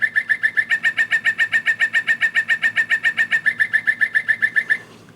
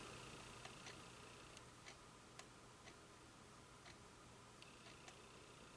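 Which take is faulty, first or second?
first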